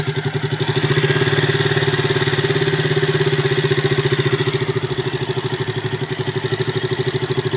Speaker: Ayun yung tunog niya. So titignan natin yung valve nito bakit ganito yung tunog.